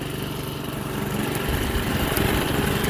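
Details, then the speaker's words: Toro 53 SP self-propelled mower (owner thinks it has a Suzuki engine) after drive belt refit, cutting with a badly dull blade; steady single-cylinder beat deepens and firms up as it takes load, runs cleanly. Normal running under load. "it does work good I'll have to sharpen up the blade now definitely needs a new blade"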